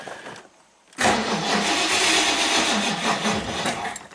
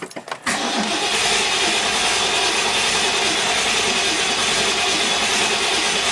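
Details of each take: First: 1969 Ford Mustang Mach 1 sitting for years, only a few gallons added, no manual fuel pump prime; steady fast starter cranking for several seconds, never fires; no fuel reaching the carburetor bowl. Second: 1969 Ford Mustang Mach 1, carbureted with automatic choke, sat for years, after fresh fuel and filling the carburetor: a few cranks, then it catches into a loud, steady run with no misses. It just needed gas. Normal start and idle.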